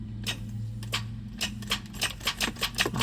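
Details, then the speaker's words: 1996 Toyota 4Runner, 290,000 miles, won't start: about ten sharp dry clicks in three seconds, speeding up, with no cranking; suspected weak battery or bad starter solenoid, not confirmed. "So that's, guys, either weak battery or we have a bad starter solenoid. Definitely."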